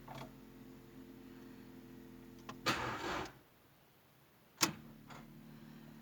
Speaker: very weak or no cranking when the battery is dead the first thing you'll notice is very weak or more likely no cranking at all so you get in the car turn the ignition and this happens